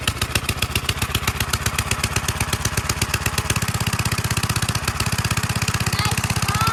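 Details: 1946 Gravely Model L single-cylinder, first run after about five years idle, started with ether in neutral at mid throttle; even quick thumping at steady idle, no misses or knocks, normal running.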